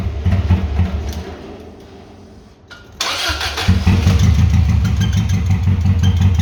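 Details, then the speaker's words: 1996 Subaru WRX sat 7 years outdoors, rusted fuel tank, new oil, oil filter and fuel filter, original spark plugs: cranking, pause, then catches into uneven lumpy idle; rough running after storage, eventually on four cylinders, injectors likely need cleaning. "okay well the answer to the question does it run well yes it does and after a bit of coaxing got it to run on four cylinders which is quite surprising actually"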